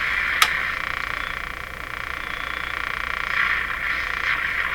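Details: Electrohome Serenader 9A62-S tube radio during oscillator and antenna alignment, on outdoor antenna: steady high warbling croak pulsing about three times a second; interference squeal from the receiver, source unknown.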